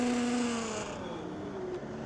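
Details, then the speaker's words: Teverun Fighter Mini Pro electric scooter (40 mph claimed) on its first ride, hard electronic regen braking: loud front hub motor whine falling in pitch as it slows; rider feels front motor resistance, cause unclear, seems okay afterward. "that was really aggressive electronic braking. Did you hear that front motor? Is it supposed to be like this? Oh, that front. I'm getting front motor resistance."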